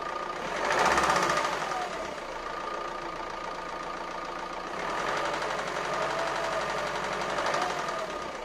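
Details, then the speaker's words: Renault Scenic 1.9 dCi 120 hp overhead-cam diesel after injector replacement: sharp metallic clack about four a second that swells with revs, still present although valve clearances checked fine (intake just under 0.2 mm, exhaust 0.45 mm). "bon finalement je n'ai pas réglé le problème j'ai toujours se claquent au vent et ça c'est pas bon signe"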